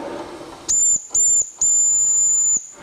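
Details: Vintage 1974 Mamod TE1A live-steam miniature tractor on its first steaming test: three clean, shrill whistle blasts, two short then one long held two seconds, steady pitch; the steam whistle works properly.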